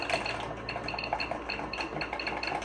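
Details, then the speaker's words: Vintage Zenith 286 PC with 1 MB RAM, keyboard typed on: crisp artificial ticks follow each keypress in an irregular rhythm. It is the keyboard's built-in fake clicker working as designed. "That's got a fake click sound. That's, yeah. That's goofy. Oh, if you like that clicking noise on your iPhone, you'll love this keyboard."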